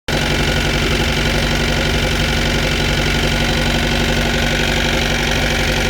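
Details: Mercruiser 3.0 engine with outdrive, idling: a loose, uneven knock running through it at roughly four per second; knocking at idle, cause suspected but unconfirmed.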